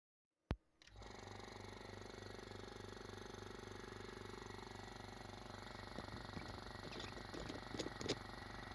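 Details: Scrapyard compressor, running after final fitting adapters: start thump then quiet, even pulsing hum with no bearing growl or rattle; running healthy.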